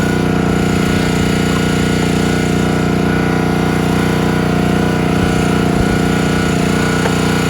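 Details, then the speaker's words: Countyline 25-ton log splitter small engine after months stored; carb cleaned, jets picked, tank cleaned, outer gasket worn. Splitting beech, it chugs loudly about three beats a second, bogging under load; owner suspects carburetor not keeping fuel flowing, unconfirmed. "so underload it just won't stay running you can see it's stalling out got to be carburetor but everything looks great in the carburetor I it just sounds like it's not keeping the fuel flowing"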